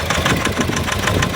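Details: 2019 Nissan Terra diesel, automatic, hard to keep running with fault codes: rough uneven idle with hard rapid knock about six raps a second, no power when revved; misfire from faulty injectors.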